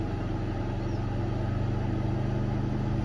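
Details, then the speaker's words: Generator on a Victron Multiplus off-grid caravan setup. Once the air conditioner's compressor cuts out, the generator drops automatically to a low idle. Smooth, steady low hum pulsing about 3.5 times per second, a normal low idle. "all without touching anything it's completely automatic that's almost gone down to a low idle now"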